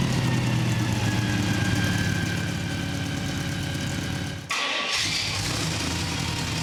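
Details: Carbureted 327 V8 drag-race engine in a 1965 Chevy C10 truck, heard from the back at the tailpipes: deep steady rumble with a brief dip and pickup; engine sounds strong and healthy.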